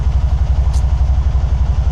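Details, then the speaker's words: 2012 Can-Am Spyder RT-S SE5 after EVAP parts and oil change, warming through a heat cycle, both O2 sensors good, charging about 13.8–14 V: steady even low throb about ten pulses a second, no misses or knocks; normal idle. "All is good."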